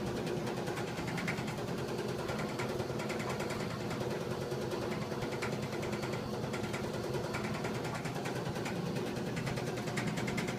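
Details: 1987 GE DDE7500GALWH dryer, bought used, before repair: loud rough rumble with uneven clanking about 1.5 times a second. The noise vanished after replacing the idler pulley, belt and drum slides.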